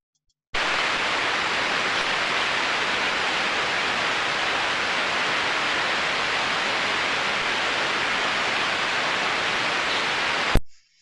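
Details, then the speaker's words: Ultrasound detector reading at the drive end of a motor with an extremely slow-speed bearing in good condition: a faint, steady, even hiss with no clicks or impacts, the sound expected from a healthy slow-speed bearing. "I did hear it just slightly but that's what we would want to hear on an extreme slow speed bearing"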